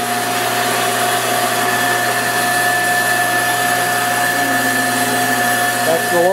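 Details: 1953 Shopsmith Mark V motor turned all the way down to its lowest speed: smooth, steady mid-pitched hum with no knocks, rattles or wavering; healthy running at low speed.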